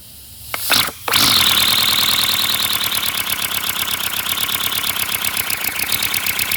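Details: 3D-printed flat-four compressed-air engine, 30 mm bore and 25 mm stroke, on a second run after a gear came off the first: catches after a couple of air blasts and runs with a fast, hissy, even chuffing of about three beats a second, air venting straight out with no exhaust.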